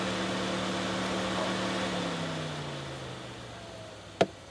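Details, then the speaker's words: 2012 GMC Acadia overheating, command of fan relays: with relays 1, 2 and 3 on, fan whir winds down then clicks; only one cooling fan reaches high speed, the other does not. "if I go to fan relays 1, 2, and 3, I still only get high speed on one fan. This fan is not coming on high speed."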